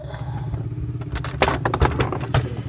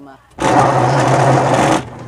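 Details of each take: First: Washing machine tested with the back panel open during repair for a noise while spinning: low motor hum with an even pulsing agitation beat and a few stray knocks, no grinding; running normally. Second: Washing machine noisy when spinning; rough humming rumble holds over a second as the drum turns; worn, rusted drum bearings, to be replaced.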